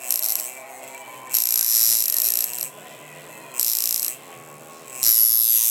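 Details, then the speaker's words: Cheap Chinese coil tattoo machine running in skin with a harsh, thin, uneven high-pitched buzz in roughly one-second bursts, not hitting cleanly; poor-quality machine. "garbage in the skin it's excess pain excess bleeding excess swelling excess everything for your client that you're putting them through"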